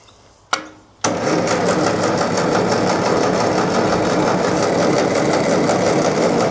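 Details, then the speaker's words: Restored Ferguson TE20 petrol tractor with new ignition, fuel tank and radiator, spark confirmed; steady quick cranking about four turns a second that never catches, because the new carburettor main jet was fitted but not adjusted; later set all in then a turn out. "I found the jet came in a separate bag and I'd put it in but not adjusted it."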